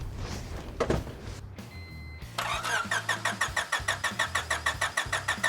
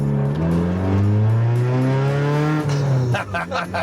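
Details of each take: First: 1996 Honda Civic hatchback, bought as a project after sitting parked (seller said it ran), oil and coolant checked: starter turns engine steadily, about three compression pulses a second, never fires; crank no start, fuel and spark to be checked next. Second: 1996 Honda Civic hatchback four-cylinder, first start after driveway repairs: one quick throttle blip, note climbs cleanly, holds and drops back without hesitation or knock; normal revving.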